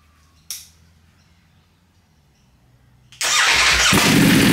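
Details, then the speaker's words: Wrecked 2020 Ducati Panigale V4S being rebuilt into a race bike, first start after priming and fresh fuel; brief earlier backfire and smoke from oil and fuel vapour on the engine. Catches after three seconds into a steady roar, running fine. "again there's a lot of I think oil and fuel Vapor just smoking out of this thing I don't want to do it too long we know the engine runs"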